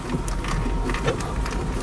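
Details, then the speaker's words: Lada 4x4 (Niva) driving off-road around a traffic jam: irregular short creaks over heavy low road rumble as the body flexes; tailgate hinge squeaking again despite electrical tape wrapped on the hinge and hinge tightening. "сзади снова заскрипела дверь багажника то есть изолента которую я намотал на петлю мы абсолютно не помогла"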